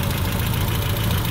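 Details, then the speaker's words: 1977 Triumph Spitfire 1500 with dual SU HS4 carbs, flat-top pistons and a shaved head (about 9.5:1), on 93 octane, before a tune-up; low, slightly uneven idle with a faint light ticking; rough idle with valve tick. "the Spitfire is running a little bit rough it's time to do a tune-up"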